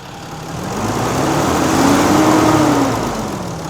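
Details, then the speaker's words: Cummins diesel work truck, 239,000 miles, after exhaust manifold replacement: even diesel clatter revving up and settling back smoothly at idle, no puffing, ticking or squeal; sounds healthy, repaired. "Yeah. Beautiful. Aha, much better. Sounds great."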